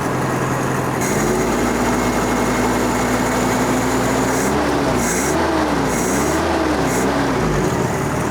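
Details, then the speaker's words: Junkyard Toyota, abandoned 20+ years, on a replacement carburetor with new gaskets and spacer: runs strong and steady, even idle, clean pickup on throttle blips, accelerator pump audible, charging; healthy running. "That sounds pretty good. I can hear the accelerator pump working on this carburetor."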